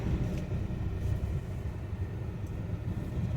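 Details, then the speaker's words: Renault Duster on road test after major engine service and suspension work: only low smooth road rumble over speed bump, no knock, clunk or rattle; healthy suspension. "अब देखते इसमें कोई आवाज तो नहीं है किसी भी प्रकार की कोई आवाज नहीं"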